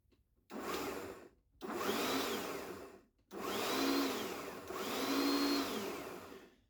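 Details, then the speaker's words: Ryobi One+ cordless lawnmower, sealed control module bypassed with crocodile-clip wiring: four short runs, each spinning up to a clean, even whine and winding down smoothly; the motor runs normally. "can hear and see that it is working. I don't have anything to touch to create a short, but it's working."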